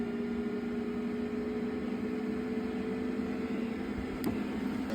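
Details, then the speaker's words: Eberspächer Airtronic diesel heater in a Toyota Coaster motorhome, temperature set to 30°: a steady, loud blower whoosh with an even hum and no surging or scraping; fan running normally at high speed. "that fan is actually quite loud at the moment I think that's because I've got the temperature cranked up to 30° which I wouldn't normally do"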